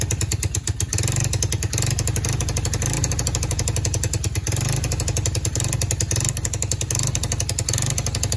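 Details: Free four-wheeler (quad) with non-working start button, started by jumping the solenoid; small single runs with an uneven, lumpy, clattery beat that never settles to a smooth idle; rough running, carburetor needs fixing.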